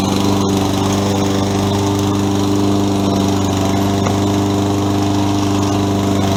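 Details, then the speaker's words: Toro 20374 self-propelled mower after replacing stripped plastic-gear rear drive wheels with metal-sprocket wheels (part 137-4835) and new pinion gears: even, steady small-engine drone, no grinding, skipping or clicking; normal self-propelled drive. "It now has Toro drive wheels with a metal sprocket inside and new sprockets 15 to uh to make it drive."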